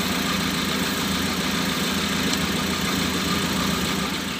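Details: Mitsubishi Colt 120 SS pickup after adjusting the idle screw to bring RPM down from above 2000 to about 900: steady, even idle with a smooth low hum and no hunting.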